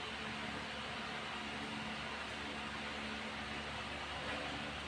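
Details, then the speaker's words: Electric fan that would not run, repaired after burnt thermal fuse broke the coil wire to capacitor and supply, wired directly without thermal fuse, final test: steady even whir, no knocking or rattling; motor runs smoothly. "Ayan po mga kaibigan, siya ay tumatakbo na."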